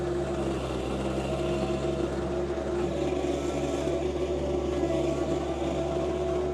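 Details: John Deere 2025R driving a Tarter RT205 rototiller after the seized gearbox was repaired, tilling the garden: steady tractor drone with even gear hum and no clunks or grinding; normal operation under load.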